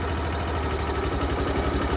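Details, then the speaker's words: Suzuki Access BS6 scooter, idle air control valve adjuster tightened: small single-cylinder engine chugs slow and uneven near stalling at too-low idle; idle should stay about 1700 ±100 rpm, lower can stall it. "ನೋಡಿ ಆಗ್ತಾ ಇದೆ ಹೈಡ್ಲಿಂಗ್ ಜಾಸ್ತಿ ಆಗುತ್ತೆ ಮತ್ತೆ ನೀವು tight ಮಾಡಿದ್ರೆ ನೋಡಿ ಹೈಡ್ಲಿಂಗ್ ಕಡಿಮೆ"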